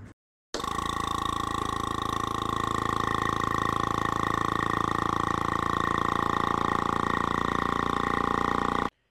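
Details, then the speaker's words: Piston-style EV brake vacuum pump, shown in comparison for a 1975 Volvo 164 EV conversion: a loud, fast, buzzing chug at constant pitch. It vibrates the display and slowly reaches 22 inHg. This is normal operation, just noisier than a rotary pump. "as you can see it vibrated our whole display and it took a little while to get up to 22 in of vacuum"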